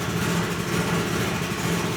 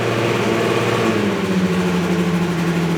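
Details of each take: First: Ferrari 308 GTB-i with swapped turbocharged Honda K24 on Haltech Nexus R5 ECU, first startup after high initial idle was brought down: steady even low rumble, no misses or knocks; normal idle. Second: Ferrari 308 GTB-i with swapped turbocharged Honda K24 four-cylinder on Haltech Nexus R5 ECU, first startup: starts at a raised fast idle that clicks down and settles lower within seconds; high idle at first start.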